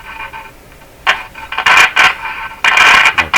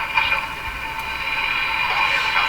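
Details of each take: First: 1940s RCA Victor A23 AM/shortwave tube radio at first power-up: scratchy crackling bursts come and go over faint hiss while tuning; suspected intermittent short in the tuning capacitor plates, not confirmed. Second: 1940s RCA Victor A23 AM/shortwave tube radio at first power-up on reduced 92 V supply: station comes through clear with no low drone or buzz; receiving fairly well without hum.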